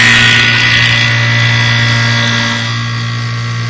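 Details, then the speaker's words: Hallowell Acadia heat pump during fall preventive maintenance, compressor started by pushing contactor in for 3–5 seconds: steady low hum starts cleanly, even pitch, faint hiss of refrigerant moving; compressor runs normally. "okay go ahead run it for 3 to 5 Seconds make sure everything starts up just fine you'll probably hear a little bit of uh refrigerant moving at this point and that's perfectly okay"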